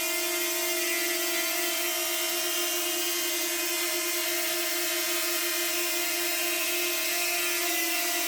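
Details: DJI Flip on its first flight, hovering: a steady high whistle ("sneezing") over the even propeller whine, seemingly from the propellers. The cause is unknown, a suspected factory fault, and the drone was sent to DJI for checking.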